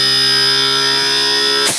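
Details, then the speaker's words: AC compressor after PCB repair, connected on test bench: previously started then cut out after seconds, now runs under load reaching full speed; steady even whine without surging or cutting out; normal running, board fault fixed. "तो अभी जैसे कि आप देख सकते हैं compressor start हो गया है और अच्छे से वर्क कर रहा है। जो पहले प्रॉब्लम थी वो अब सॉर्ट आउट हो चुकी है।"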